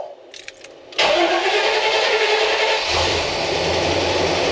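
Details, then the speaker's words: 1990 GMC Sierra OBS truck, abandoned project, after an oil pan change, on temporary fuel lines with a boosted battery: short crank, then a rough, uneven idle plus an unknown noise. Liquid sprayed from a loose transmission line. "Um What's that noise? Uh-oh. Some sort of liquid spraying over there."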